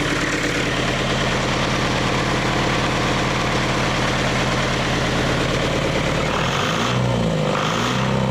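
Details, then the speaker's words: Leyland 154 tractor diesel first run during restoration, new starter and glow plugs, about 1,200 rpm with great oil pressure; even steady clatter, no knocking, sounds good despite diesel pump leak and oil spitting from broken dipstick tube. "Great oil pressure running at about 1,200 RPM. Oh, she sounds good."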